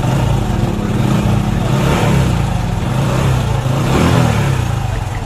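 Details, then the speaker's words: Hero Passion X Pro i3s motorcycle that sat unused for a while, idling: fast, loose metallic clatter over the exhaust beat from inside the engine; loose timing chain rattle, chain to be replaced. "यह bike कुछ समय से खड़ी थी और इसके engine के अंदर से टाइमिंग चैन की साउंड है"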